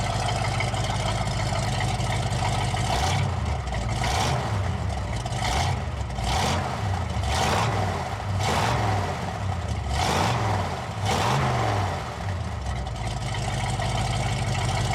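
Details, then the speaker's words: 1983 Chevy K20, power steering fluid empty: repeated revs, each bringing a sharp screech that fades as revs drop; loose power steering belt slipping badly, leaving almost no power steering. "As you guys could probably hear in the video, power steering belt is slipping a lot and it's making quite a lot of racket."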